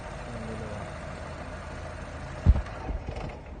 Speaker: Mga master, patay po ang isang injector niya kaya sa misfire.